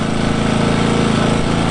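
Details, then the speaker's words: New Engel 2500W inverter generator, Eco mode, powering a camping fridge: steady low hum, smooth exhaust beat, no knocks, surging or hunting; quiet and healthy. "it's it's really quiet way quieter than I thought it would be that's on eco mode at the moment"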